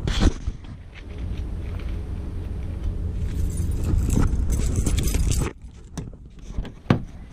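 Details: Saturn Vue 2.2 L idling before repair: uneven, stumbling low thump with irregular missed beats; one cylinder not firing, smoke from exhaust, coil pack suspected.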